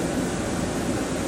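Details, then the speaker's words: 2001 Dodge pickup: with the ignition-switch feed wire plugged in, the cabin blower motor runs with a steady, even airy rush and no rattle or squeal. Pulling the wire stops the blower and windows. Normal blower operation. "when we take that wire and plug it right in you can hear our blower motor start we pull this wire out and it goes off and our windows don't work again"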